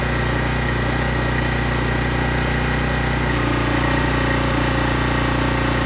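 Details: Small single-cylinder engine on a high-pressure washer pump with water hooked up, after the cleaned carburetor was reinstalled. Steady, even buzz with no misses or surging: runs clean.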